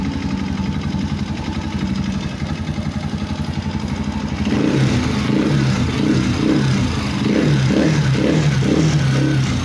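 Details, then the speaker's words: Honda TMX 125 motorcycle after repair: smooth, even idle putter, the earlier tak-tak-tak clatter gone, then a slight rise in revs; engine runs clean and quiet. "Wala na yung kalampag, yung tak tak tak tak tak tak tak tak tak."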